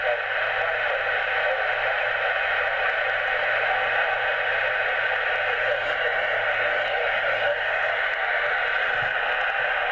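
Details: HF radio (857) with only a 1 m copper strap antenna, Jaycar MP3800 0-24 V switch-mode supply switched on, loaded to about 3.5 A at 13.8 V: constant rushing static in receiver; radio interference noise, suspected from the supply.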